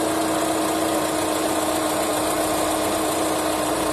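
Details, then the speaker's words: Honda CR-V after the belt tensioner pulley bearing was replaced: a steady, even idle hum with no whirring, chirp or grinding from the belt drive. The noise is gone; normal idle. "现在已经安装好了，我们启动车子，再来听一下这个声音。现在就没有听到这个声音了。"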